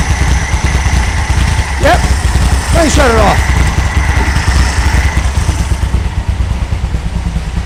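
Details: 1964 VW Beetle air-cooled engine idling from cold after a tune-up replacing rockers, carburetor and ignition parts: low, steady chuffing idle with an even beat, no misses or knocks; idles cleanly.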